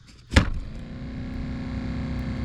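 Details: 2017 Nissan Titan blower motor, vehicle on, tested by tapping: one sharp thump, then the blower spins up into a steady hum; it only runs after being struck, so the motor is worn.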